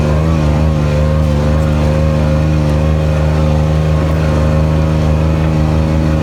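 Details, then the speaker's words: Kubota RTV900 diesel utility vehicle, after hydrostatic transmission repair (charge pump, brass wear plates, relief valve, filters, oil), climbing a very steep hill; most power ever. Steady even diesel drone holding under heavy load, no knocks or whine; normal running under load. "Well, it climbed back no problem. I think it's the most power this machine's ever had."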